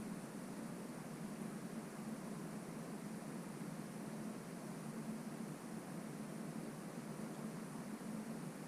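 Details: Gimbal motor noise test in a quiet room: GoPro HERO5 Black (4K 30fps, audio set to wind only) on a FeiyuTech G5 V2 held stationary; faint steady low hum, no clicking or grinding, normal motor hum.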